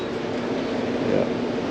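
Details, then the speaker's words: Outdoor AC condenser that was humming and not cooling well downstairs: steady electrical "death buzz" with contactor engaged but the compressor not starting; the run capacitor (45/5) is visibly swollen and failed. "If y'all hear that old death buzz, it's not starting. I'm gonna turn it on right here. All right, as you can see, it's pretty swole. Contact is engaged, so we got a bad cap, folks."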